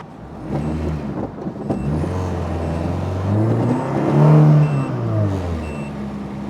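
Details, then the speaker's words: Ferrari-engined Alfa Romeo 105 "Alfarrari" on a test drive after brake work; a few heavy thuds from underneath at the rear over the engine drone; horrible clunking, suspected something loose or not bolted up at the back. "it's making some horrible clunking noise out the back so I've got to check get it up in the air see what's not connected properly or not boled up properly in the back"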